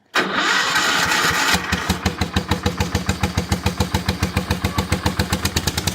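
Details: Cold start on choke with a brand-new carburetor fitted; short crank catches quickly with some little pops, then settles into a steady idle of about three to four even pulses per second; healthy.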